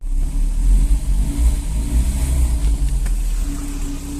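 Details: Healthy VAZ 21083 (2108) engine at about 217,000 km, revved up and settling with a clean, even low drone and no metallic knock through the rise and fall; no connecting-rod bearing knock audible yet despite a failing bearing.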